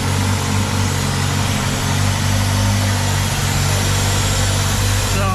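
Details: 2000 Ford Contour 2.0 after intake gasket replacement, rough idle under load worsening for weeks; steady low idle with a faint airy hiss, injector 2/3 area suspected, later traced to a cracked PCV hose; vacuum leak.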